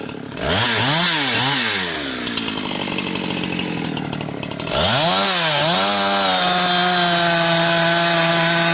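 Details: Husqvarna 362XP Special with wrong ignition coil and Walbro carb, cutting firewood: revs up sharply then stumbles and gargles at top end instead of screaming clean, cutting out around 11,500–12,000 rpm; fine near 9,000 rpm; not carburetion, four-stroking at rev limit from wrong coil.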